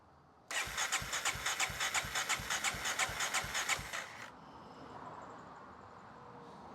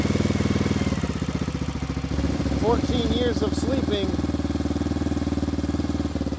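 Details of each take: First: 1994 Honda XR650L, unstarted 14 years, cranking after spark restored, fed from a gas can, no oil showing on the dipstick: regular starter cranking, about three strokes a second for three and a half seconds, trying but not catching yet. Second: 1994 Honda XR650L single-cylinder, unstarted 14 years, just started on choke after spark restored, fed from a gas can, some smoke: thump about four times a second, fairly steady idle, no knock or clatter; healthy.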